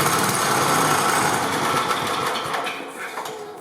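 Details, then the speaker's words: 1988 Briggs & Stratton 8 hp Sno-Guard engine, with spark confirmed and gasoline dripped into the cylinder, pull-started. It barks and runs briefly, then dies once the prime is gone. Spark and compression are fine, oil is present but not full, and the carburetor is suspected. "Okay, so we know it has spark and compression and enough to fire it over, which means that's the problem right there, carburetor."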